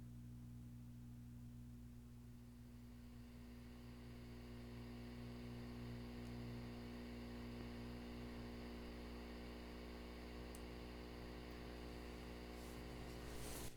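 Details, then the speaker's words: Fender Super Champ XD tube/solid-state combo amp with original tubes, about 15 years old, once warmed up. A constant low buzzing hum with faint static hiss, unchanged by volume; cause unknown, with preamp tube and speaker suspected. "so what I'm going to do is go ahead and switch the amp on and you'll notice when it warms up you'll hear that distinct static kind of sound coming from the amplifier so we'll go ahead and give it a shot"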